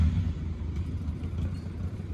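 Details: Honda Civic GL (EC9) with dual carburetors, straight-through exhaust just fitted: a deep, burbling idle with an uneven throaty pulse and little hiss. A loud, normal straight-pipe note.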